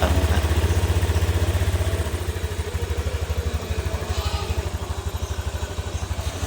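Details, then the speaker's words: 2022 Honda Beat FI scooter after teardown for rough rumbling caused by crankshaft/weight bearing with sludge, reassembled: even, steady low putter at idle, no rumbling or knocking; smooth like original. "ternyata sudah halus seperti bawaan aslinya kita engak ada suara yang ngok-orok seperti semula"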